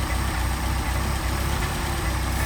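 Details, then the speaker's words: Mercedes 190SL with Solex carbs that sat a long time and were full of sludge; steady fast idle stuck around seven versus a target of three to four; choke ruled out, idle mixture screw doesn't help; throttle butterfly not seating. "And I've already demonstrated the choke is not part of the problem. So, we've got a butterfly that's not seating properly."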